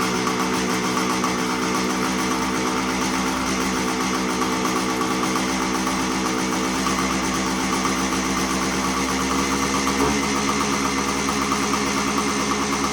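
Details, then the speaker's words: 1975 Suzuki TS125 Duster two-stroke, previously breaking up past half throttle, warmed up after air screw turned in: even, crisp burble holding a steady idle without stumbles or surging; running properly. "had to do a little tuning on the uh air screw I to turn in a little bit and just have to turn in the air screw a little bit to get it to run better so it's running pretty good right now"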